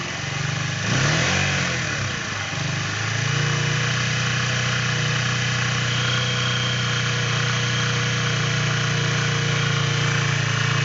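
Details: Keeway Cafe Racer 152 (Motobi) motorcycle engine: a quick rev blip, then a steady idle with a light, fairly regular tapping over the low thump, an engine knocking noise.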